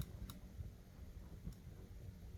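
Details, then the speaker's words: Evaporative air cooler fan pressed on but fan won't spin: sharp irregular clicks with no motor hum; control-board relay suspected faulty, replacement suggested, not confirmed. "You guys hear the clicking sound. You can try replacing the relay."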